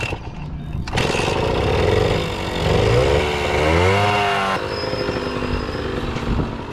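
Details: Kawasaki KS II-50 two-stroke, after carburetor service and tank cleaning, with oil mixed into the fuel because the automatic oil pump is in doubt; crisp rasp climbs and falls smoothly with no bogging, previously bogged on acceleration.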